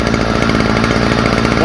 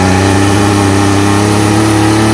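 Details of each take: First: Stihl FS45 two-stroke trimmer after fitting a new replacement carburetor: steady, even high-pitched buzz with no stumbling or surging. Runs cleanly. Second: Stihl FS45 two-stroke trimmer with faulty original carburetor, started on spray: howls at high revs with wavering pitch, then sags and stumbles to a ragged low idle; rough running, carburetor to be replaced.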